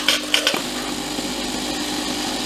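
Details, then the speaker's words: Philips LatteGo espresso machine returned under complaint (owner recalls a leak and a breaker-tripping "explosion"; drain solenoid valve likely replaced earlier): sharp clicks, then a steady even pump buzz with hiss, no rattles or strain; brewing normally. "jest wszystko okej zajrzyjmy z boku teraz się będzie parzyła kawa Wygląda na to że jest okej"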